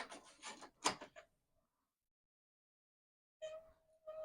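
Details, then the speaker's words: Commodore Amiga 1000 powered up after about 30 years in storage, trying Kickstart disks; clicking and chatter bursts then steady whirring as drive spins, disk never loads, disk drive trouble suspected, disks possibly defective: floppy drive noise, disk not loading. "it sounds like what we have here is quite possibly disc drive troubles"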